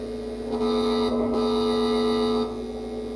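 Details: Amplifier during grounding repair: constant low buzz with a steady tone, unchanged throughout; mains hum from missing chassis ground.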